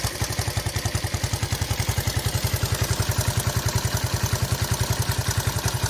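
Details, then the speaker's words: Imported Honda XL125S single, after cam chain tension was reset: steady, evenly spaced idle thumps with no cam chain rattle or ticking, clean healthy idle. "no cam noise at all on it now."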